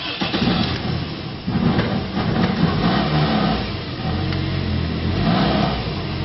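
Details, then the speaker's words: 2001 Toyota Echo 1.5 L, junkyard replacement engine: it labours and barely revs, stumbling unevenly, with the check engine light flashing on and off. The cause is a bad engine computer ground and there is no scanner communication. "barely revs up. Check engine light comes and goes, flashes on and off."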